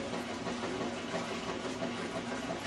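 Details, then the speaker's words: Whirlpool top-load washer on a bench test with lid switch bypassed, wash cycle: steady churning swish and rushing water over a low motor hum; fills and agitates normally. "Let the washer fill and agitate for a few minutes."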